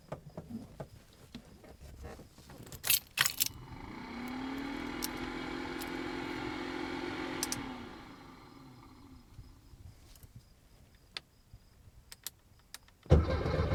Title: VW barefoot hard start